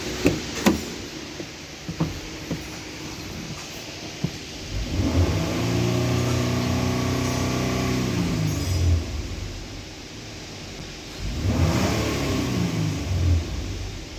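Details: Nissan Patrol Y62 V6, which had a whistling noise when accelerating and a fan coupling replacement: two clean rev-ups rise and fall smoothly with no whistle or squeal on the engine note. Acceleration response is healthy.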